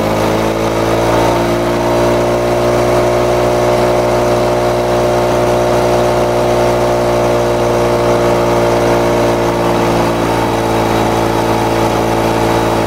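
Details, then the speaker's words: Lawn-Boy two-stroke mower after air vane governor install and spring tension increase: steady, even buzz with no surging or hunting, roughly 75-100 rpm fast; governor holding normally. "there we go some people might think that's a little bit um running a little bit too fast subtly running maybe uh 75 to 100 rpms a little too fast"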